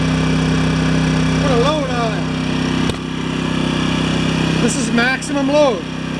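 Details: Yamaha 1000 W generator at maximum load after jets on carburetor were reamed out to cure idle surging, new gaskets: steady, even drone with no hunting or surging; normal running under load.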